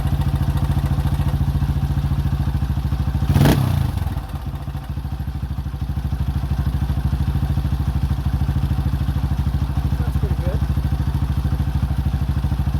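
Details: 2005 Honda CRF150F, a former no-start that then ran high without idling (a carb issue), after valve adjustment and carburetor tune-up: single-cylinder thumps at an even idle, one brief clatter aside, settling back to a steady, healthy beat.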